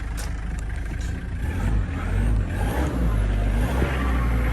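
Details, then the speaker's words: 1996 Mitsubishi Delica L400 4M40 2.8L intercooled turbo diesel, automatic, 107,231 miles, new turbo, still cold after cold start: smooth idle, quick rev on throttle blip with fast turbo spool, no knocking or smoke; healthy engine. "See, no smoke, nothing. You hear that turbo spool up real quick. And that's with it's still cold, you know."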